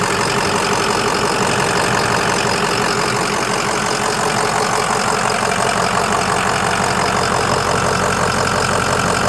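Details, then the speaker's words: 2005 Ford Excursion Limited 6.0L Powerstroke diesel 4WD, 186,898 miles, new injectors and turbo, EGR delete, ARP head studs, hood open: steady, even idle with uniform injector clatter and no misses or knocks, like a healthy 6.0. "I'm gonna hop out and pop the hood. Let you hear it idle. Sounds great. Like a healthy 6o."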